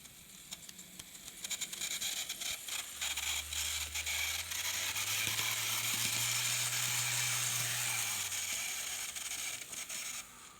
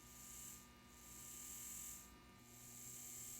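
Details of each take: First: Kato N scale C44-9 model locomotive, custom numbered, in good shape but running a little noisy on the track before lubrication and wheel cleaning: harsh high-pitched gear whir over a low motor hum that climbs with speed; noisy dry drivetrain. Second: N scale Kato C44-9 locomotive motor after disassembly and lubrication, tested on test leads: small motor whirs with soft high hiss swelling and fading, smooth, no grinding; previously noisy, now running quietly.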